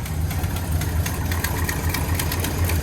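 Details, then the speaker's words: Classic International 150 pickup V8, cold in the shop: lumpy idle that skips as if a cylinder is dropping out, smoking a little. All eight fire once it clears out. "what a beauty smoking out the shop a little bit sounds like we're down to cylinder"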